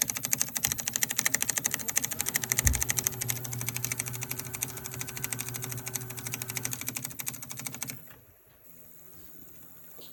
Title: Clicking noise extruder